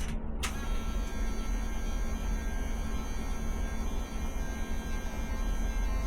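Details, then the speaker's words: Ducati 750SS sat for years, first power-up during restoration: a click, then a loud, steady low hum from the fuel pump with engine not running, pump not stopping; noisier than it should be, cause unknown. "Wow, I got power. That's the sound of the fuel pump. Wow. This never happened before. I'm not sure why it's not stopping."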